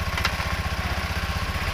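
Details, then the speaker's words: Honda Beat FI scooter that had no start and no display, fixed by bypassing a corroded ground wire to the relay's blue negative terminal: steady, even single-cylinder idle putter with no knocks or misses; running smoothly. "Ayan start na po natin at ah an gumagana na po yan mga paps at wala ng problema ang kanyang ah makina umaandar na."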